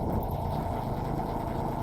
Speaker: Matino na siya men. Ayaw ko pa naman mag-vlog kanina pero yan okay na idol natin tol hindi napupugakpugak kinukulang lang pala